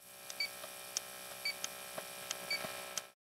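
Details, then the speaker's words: INFICON D-TEK Stratus refrigerant leak detector in cloud hunting mode, checking when it is not detecting refrigerant: light clicks about once a second over a faint steady pump hum; pump and ticking present, normal operation. "When your DTEK Stratus is not detecting refrigerant in cloud hunting mode, listen for the pump and the ticking sound."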